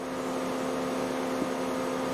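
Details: 2008 Mercedes W204 C180 Kompressor: radiator cooling fan runs constantly and loudly at high speed shortly after start, steady roar over idle; fault code B10 7A15, refrigerant pressure sensor reading high, sensor to be replaced.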